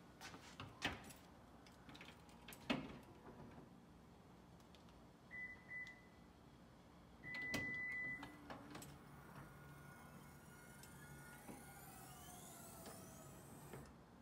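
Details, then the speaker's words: 2013 Lexus RX350, 156,000 miles, after replacing power liftgate motor (previously long beep, no movement); a couple of chirps then smooth steady motor hum climbing in pitch as gate travels; normal power liftgate operation. "sweet that works and that is how you change the motor on your car"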